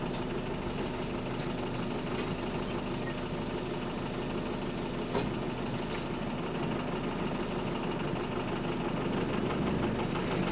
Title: Loud Engine Rod Knocking | AL HV48 On Bus Route 335 Part 4 (4)